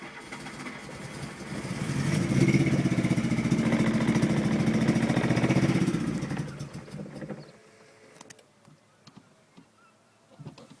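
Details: Mk2 Golf GTI 8v that starts first time but struggles under load and stalls; starter churns evenly about four beats a second for several seconds without catching: cranks but will not start.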